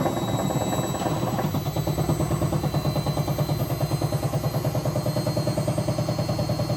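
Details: Hotpoint BHWMXL145 washing machine test spin: rhythmic, loose, irregular thumping clatter about three beats a second as the drum turns; two drum spider arms snapped and drum cracked at the back, letting the drum wobble, not the bearings.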